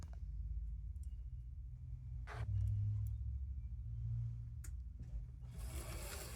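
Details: Vintage DC HO-scale model streetcar running on track: soft steady small-motor hum with light clicks and scrapes; runs evenly and fine.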